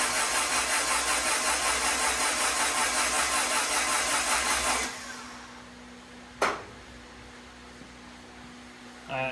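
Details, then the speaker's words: Turbo Honda Integra, first start of 2024 with spark plugs out, cranked about 5 seconds to prime the new turbo and check for oil leaks, battery struggling: even starter spin, light pulses, no firing; normal plugs-out cranking. "I'm going to crank it over for about 5 seconds. Check for oil leaks, and once I do that, I'm going to just go ahead and continue to crank it. Apparently my battery doesn't like that too much."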